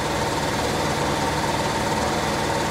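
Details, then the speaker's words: 1968 Chevy Caprice V8 after sitting 18 years, first revival run fed gas by hand; uneven, stumbling beat with missed firings, easing slightly, as fuel runs out and it goes lean; misfire from lean fuel. "definitely better still missing though oh not as much that's lean when uh start to run out of gas you go a little bit lean and you pop there a little bit that's all that was"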